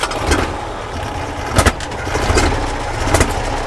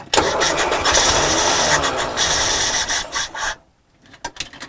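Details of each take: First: Carburettor spitting back on a 1968 Morris ambulance at idle: rough, uneven running with sharp pops about every second coughing back through the carb. Next step is taking off the oil-bath air filter to check. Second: 1968 Morris ambulance van after carburetor fix (bent float rod straightened), starting on third attempt: cranks, catches and settles into a steady, even run after a brief gap, no misfire or knock — normal running.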